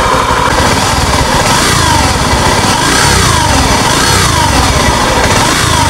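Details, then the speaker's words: Honda Scoopy ESP scooter, owner complains of rough engine noise when running: a grating whir over the idle instead of a clean putter; mechanic unsure whether bearings, gearbox gears or CVT. "Ya teman-teman jelas suaranya jadi suaranya kasar seperti itu ngagerengseng pak ya"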